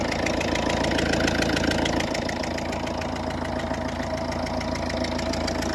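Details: Ford Fiesta Mk6 1.4 L diesel at idle: fast, regular puffing chuff about three or four per second over the clatter, a compression-leaking fuel injector from a compromised copper injector seal.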